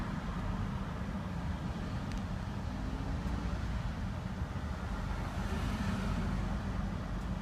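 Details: Even, steady running of a Range Rover P38 4.6-litre Bosch V8 after misfire diagnosis, with no stumble, skip or uneven beat; the engine sounds smooth.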